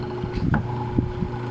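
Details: Hanabishi stand fan plugged in: steady low electrical hum as the motor strains but won't spin; suspected seized shaft bushing and possibly weak starting capacitor, motor itself seems okay.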